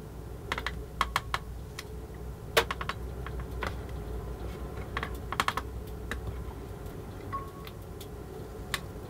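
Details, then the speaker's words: Eaton arc fault detection device (AFDD) test with a switch deliberately arcing; irregular sharp snaps and crackles over the device's steady fan hum as series arcing occurs at the switch contacts before it finally trips. "well it's finally tripped after not insignificant amount of effort there so would you may have heard there's quite a bit of arcing going on there"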